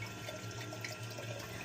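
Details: Kohler toilet running nonstop: continuous gentle trickle into the bowl; owner first suspected the gray wax ring, but the leak was the yellow rubber canister flush valve seal (gasket), which was replaced to fix it.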